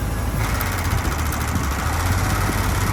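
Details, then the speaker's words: 1983 Mercury Colony Park LS wagon, original 302 V8 idling with A/C on: low rumble with faint extra whir, idle wavers after long idling only with A/C on; owner suspects A/C compressor bearing or clutch. "Why the AC's on, but when you turn it off, it doesn't do that. So probably the bearing or something, or the clutch."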